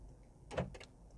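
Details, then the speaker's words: 2005 Chrysler PT Cruiser convertible whose door locks and trunk don't work: a couple of quick soft clunks as the doors try to lock; the door lock actuators, built into the latches, are suspected but not confirmed. "you can hear the door lock. It may just be, because I hear the doors actually trying to lock. So it may just be the actuators."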